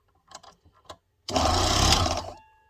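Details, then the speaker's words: Proxxon mini scroll saw after reloading a broken blade at a lower adjustable length, arm hinge still loose: after light taps, runs about a second with even fast buzz fading cleanly; nice and smooth. "So I'm just going to turn it on and see what it sounds like. Not bad. Still going to loosen it a little bit. Nice and smooth."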